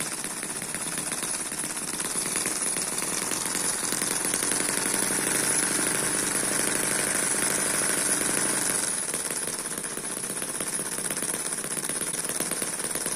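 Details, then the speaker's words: Eachine EM1 (same as M14) four-stroke opposed double-piston mini engine at a good low speed, which may slow a little more once warm. Fast, even, light buzz with steady ticking and no misses or surging. Smooth normal running. "this is a pretty good speed just like this sometimes you can get it to slow down a little more when it warms up"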